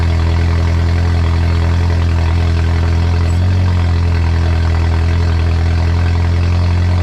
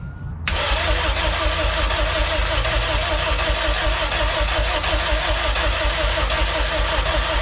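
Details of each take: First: Honda EF sedan with K20 engine swap, first starts, oil just filled, turbo not yet installed: loud raw unmuffled idle with deep steady drone and even beat, no knocks or misses; engine running fine. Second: K20-swapped Honda EF sedan, first start attempt, cranked at the starter with throttle held open: steady, even cranking about 160 a minute for nine seconds, never catching; injectors appear not to fire, only tries to catch on brake cleaner.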